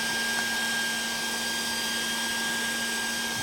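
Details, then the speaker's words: 12 V DC cooling blower (the kind set atop an HF/VHF/UHF radio) powered directly at full voltage without the step-down converter: loud, steady rushing whir with a fixed high tone and no wobble, running flat out. "Kalau enggak pakai step-down ini kan suaranya seperti ini kan keras"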